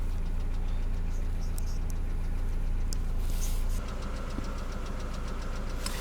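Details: Mercedes Vito W638 with M111 2.3L petrol engine: steady idle with a regular knock, roughly three or four a second, over the low engine hum; engine knocking.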